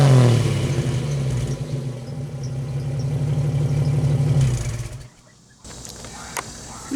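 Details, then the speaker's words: 1991 Jeep Wrangler YJ after catalytic converter delete and new two-chamber Flowmaster-style muffler: deep throaty revs with steady low rumble, then cut-off to quiet idle; exhaust free of rattle, a little louder than wanted. "too shabby it's a little louder than i really wanted it but hey it's okay i'll live with that but right now i'm not running any catalytic converter straight through that little uh two chamber flowmaster knockoff"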